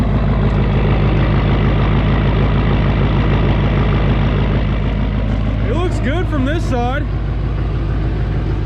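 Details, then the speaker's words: Duramax diesel bought for a Suburban swap, started on a battery taken from another truck: even, steady idle clatter with a deep regular beat, no knocks or stumbles, running real smooth; check engine light on for turbo vane position sensor and glow plug. "thing runs real smooth no brakes in this thing"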